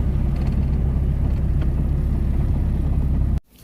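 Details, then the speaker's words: 1992 Honda Accord EX with stock JDM H22A turbo, 93 pump gas: deep steady low rumble at idle, no knocks, misses or hunting, then cut off; owner notes something odd sometimes when coming to a stop, otherwise idle good; normal idle. "Sometimes when I come to a stop, I don't know what that's about, but besides that, idle's good. Everything is good."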